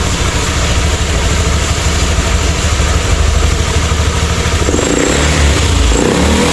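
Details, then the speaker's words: Honda Beat ESP that stumbled and wouldn't rev, now fitted with a Scoopy injector: holds a steady, even idle, then climbs cleanly to high rpm without stumbling or popping; runs normally. "hidupnya normal pas posisi dig gas RPM atas juga tidak ada kendala sama sekali"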